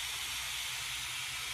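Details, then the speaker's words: Pool pump refilling after cleaning, valves opened: steady, airy hiss of trapped air escaping, growing louder as more water flows, until water reaches the top; normal air bleed hiss during refill. "you'll hear the hissing gets louder because more water flowing through there we'll leave this open until water spreads out the top that means it's filled all the way"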